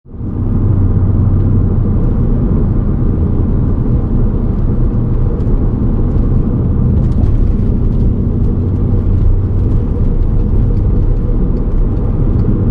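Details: VW Golf MK5 R32 driving: a steady deep rumble under the road noise that persists through the drive. Worn wheel hub bearing.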